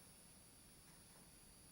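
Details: Hubsan Zino drone just powered up: faint steady high-pitched electronic whine/frequency hum apparently from the gimbal, present since new, sometimes stopping when moved; owner wonders if it relates to jello effect.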